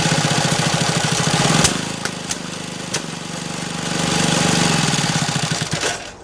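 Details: Restomod BSA with Villiers two-stroke engine spun by a 3 kW brushless motor: uneven chugging with sharp random pops and gaps, never firing on its own; bad misfire, possibly a timing issue.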